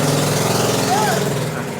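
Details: LG WF-T7822D top-load washer after a gear set replacement, tested on spin/dry: a steady, even motor hum with a smooth drone and no knocking or grinding.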